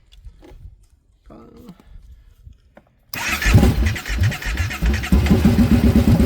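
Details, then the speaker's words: 2014 Kawasaki Brute Force 750 fuel-injected ATV with a no-start: it catches and runs rough only when gas is poured into the intake, confirming no fuel delivery; wiring, fuses or the fuel pump suspected. "Uh, it very well could just be his wire. So, we are 100% sure it's fuel. So, we got to check uh fuses, power at the fuel pump. really might not be a bad repair. Could be a bad fuel pump, too."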